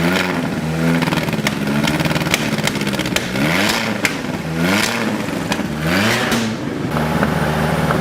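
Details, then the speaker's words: Big-turbo VW MK5 2.0T on startup after fitting an Audi TTRS low-pressure fuel pump and custom cooling piping, in a garage; revs surge and sag with clattery, stumbling bursts, turbo spinning; rough running. "If it were like running 100% properly, it would sound pretty good. Like the sound it makes is not bad."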